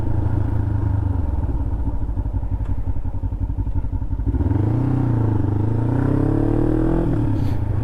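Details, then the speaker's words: 2007 Kawasaki Ninja 500R twin riding after carb cleaning and new needles: even exhaust drone rising and falling cleanly through gear changes, super smooth, strong pull, no misfire or popping; normal running, not overheating. "super duper smooth though power for days power for days what a little Ripper man yeah she moves she moves"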